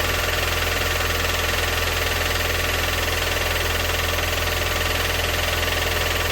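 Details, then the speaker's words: Rover 400 at about 170,000 km, cold idle: steady, hard knock about 3.5 beats a second over the engine; owner suspects a slightly bent con rod, cause not confirmed. "now I tried to understand where the noise was coming from and I've read some things and there are two major options to me one a slightly bent G Rod I it's not impossible I think that has happened with these engines"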